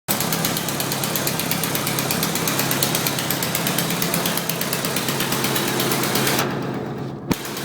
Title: Idle with exhaust leak on downpipe